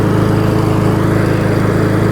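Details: Single-cylinder lawnmower that had flooded and had low oil washed out with fuel, which was changed: a steady, even drone at constant speed, firing regularly with no knock, miss or hunting. Runs healthy.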